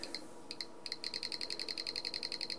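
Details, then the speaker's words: Passive buzzer driven by a 555 timer in astable mode with light-dependent resistor (LDR) timing: sharp thin ticks, slow and uneven at first, then a quick steady run of about ten clicks a second as a flashlight speeds the click rate. "let's put the passive buzzer back and the click is not so bad hopefully you can still hear it okay"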